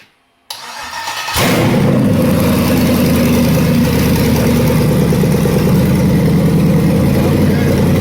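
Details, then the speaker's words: Vortec engine on a Yukon frame (International pickup body swap) with an aftermarket Chinese wiring harness, first test fire on a booster pack: short crank, then it fires straight up into a loud, steady run from open pipes; normal start. "Sounds nice. Wow, it runs. It sounded okay, Terry? Yeah, sounds good."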